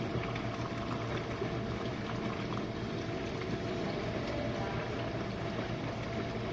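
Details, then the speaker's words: Used Jenn-Air dishwasher running a quick wash, started to clear a smell: a steady rush of spraying water over an even, low motor hum with no knocks or rattles, sounding good and seeming to use little power. "Oh, that sounds really good. Oh, it's using not much power."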